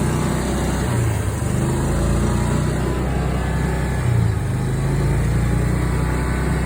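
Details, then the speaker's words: Old Club Car golf cart engine after its first oil change in years; steady low single-cylinder chug at an even pace with no stumbling, now running better and no longer bogging down. "It feels and runs even better now. Doesn't even bog down."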